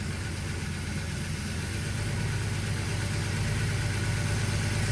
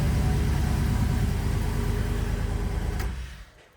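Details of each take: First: Turbocharged engine at idle after reassembly: a steady low idle with a constant airy hiss. The blow-off valve vacuum line port is left open, causing a vacuum leak. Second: Turbocharged engine first start after work, with a known vacuum leak at the blow-off valve line: an even, steady low idle pulse until shutdown; sounds healthy.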